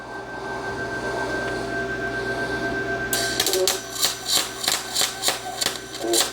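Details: Vevor MIG200 4-in-1 welder on a 110 V outlet (120 A max), voltage 24, MIG manual, welding iron, just after the shielding gas was turned on. A faint gas hiss, then a crisp regular sputtering crackle: a proper arc making a good weld.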